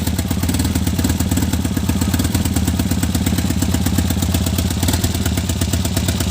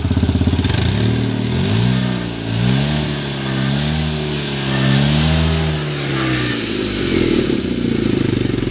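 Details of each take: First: Tata Nano petrol engine idling with an uneven, lumpy beat as one cylinder keeps missing. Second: Tata Nano petrol engine after fixing its misfire: revs up and down smoothly with no misses or stumbles.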